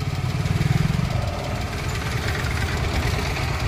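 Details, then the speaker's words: Maruti Alto 800 petrol engine on light throttle: rough, lumpy low rumble surging and chattering, a very bad-sounding engine noise; cause not yet stated. "अब इसकी आवाज़ देखो, ये देखो, ये देखो कितनी बुरी आवाज़ हो रही है इसकी।"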